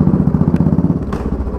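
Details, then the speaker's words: Motorcycle: single thumps along steadily, then sharp metallic hammer-like clunks from the rear when the clutch is pulled and brakes applied suddenly, normal otherwise; worn cush drive (coupling) rubbers found in poor condition. "But clutch दबा लिया और suddenly break मारे, जैसे हमने clutch दबाया और break मारेंगे, ये ठाट जैसे कुछ अटक गया हो, आ रही बस।"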